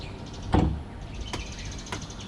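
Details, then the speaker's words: Electric frunk from an EVOffer Mark 4.0 kit on a Tesla Model 3 (Variant B), test run after initialization, before the latch motor and control unit are tied up. A firm thud, then a soft, even actuator hum with light ticks and no grinding: normal operation. "So it's good, and we try to do a unlatch. So everything is good."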